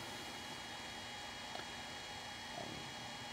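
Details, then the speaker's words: DJI Phantom 4 drone sitting powered on the ground during a remote-controller firmware update: soft, steady, even hum with a faint airy hiss and no knocks or surging, which the owner calls loud, like an engine noise inside; the cooling fan is running normally. "it is kind of uh loud when it's sitting here it's got a little bit of a engine noise kind of going on inside it which is interesting"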